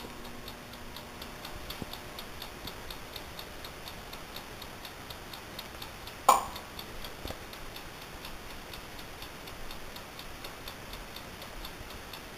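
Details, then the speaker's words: Amaco polymer clay oven, brand new and never used, running: faint, steady ticks about once per second from the mechanical timer, which is normal. "And that ticking sound is actually the timer, so just so you don't know."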